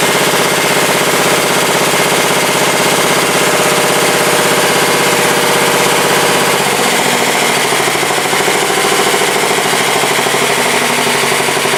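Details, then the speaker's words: 1967 Sears Suburban 10 tractor, single-cylinder, after repairs: steadily revved up with an even rapid beat and no knocks or misses; the owner concludes revving too low behind the plow undercharges the battery, so it should run higher. "all right well I'll have to rev it up a little bit when we plow through on this battery sounds better than the other one though"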